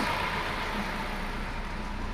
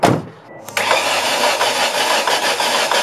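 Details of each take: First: Ford Escort that sat two years, new battery, after initial start-up knock from low oil pressure in variable cam timing system cleared: low even idle hum, no tapping or knocking, running smoothly. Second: Ford Escort with Zetec engine, first start after sitting almost two years: cranks and catches with a harsh rapid knocking for a few seconds, not really sounding like rod knock, from oil drained out of the variable valve timing system.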